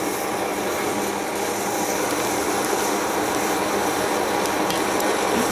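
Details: MSR XGK EX multi-fuel stove burning white gas with XJ jet, preheated to blue flame: steady, even hissing roar with no sputter or surging, burning cleanly at full power.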